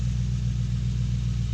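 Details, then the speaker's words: 2005 Mercury Grand Marquis V8 idling just after installing new iridium spark plugs with all coils and throttle position sensor reconnected: deep, even burble with a steady beat, no skips or stumbles; no misfire, healthy idle. "oh yeah sounds good and healthy it's not misfiring i don't believe i don't hear a misfire anyway"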